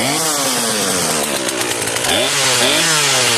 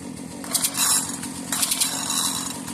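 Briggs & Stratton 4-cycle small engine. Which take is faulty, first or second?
second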